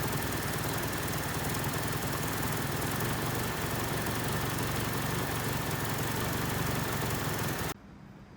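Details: 1979 Honda Civic 1200 that sat about 16–20 years, after roughly five minutes running, before timing is checked: smooth, regular idle with a steady beat and no misses until shut off; ignition sounds healthy, running pretty good as set.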